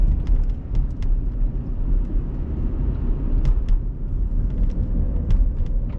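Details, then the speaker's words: 2011 Mazda CX-7 on its first test drive after a used-engine install: a low, even engine hum under road rumble while cruising, with no knocks, ticks or whines; healthy, with only the brakes making a terrible sound. "all right so we we're sounding pretty good so far we're just cruising no weird things happening other than a terrible brake sound"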